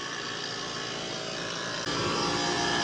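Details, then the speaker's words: Trane 5-ton R410A AC unit made 09/2020 whose compressor would not start, only the fan ran, after fitting a hard start kit: steady even hum with fan rush, compressor starts and draws 19 A against its 20.8 A rating, normal. "Aquí está el conector enciendo y ya ahora sí encendió voy a medir el amperaje no"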